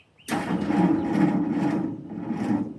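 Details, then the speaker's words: 1946 Jeep being revived, first crank with electric fuel pump unhooked to build oil pressure, on a salvaged battery: starter drags engine slowly and unevenly, few sluggish turns a second; weak battery suspected no good, slow cranking. "think that battery I salvaged probably ain't no good."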